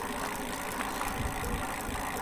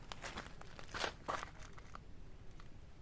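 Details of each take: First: Duotts S26 e-bike rear hub: steady whirring hum with faint rhythmic scraping each turn; the rear bearing sits crooked and the axle seems bent; noise heard between the cassette sprockets and bearing. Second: Duotts S26 e-bike rear hub motor after fixing a rubbing noise; quiet hum rising smoothly as the wheel spins up, few light clicks, brake disc still rubbing slightly; motor runs clean.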